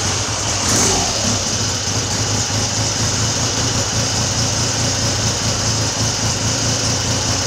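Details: Classic Triumph Trident T160 motorcycle, freshly recommissioned, after a stripped head stud was repaired, a float bowl leak fixed and the carb slides synchronised: steady, even idle with a low regular exhaust beat and no misses.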